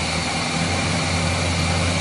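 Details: Chevrolet 350 V8 with long tube headers, after intake manifold gasket repair that cured rough idle and misfire; smooth, even idle with a steady low drone, no skips or vacuum hiss.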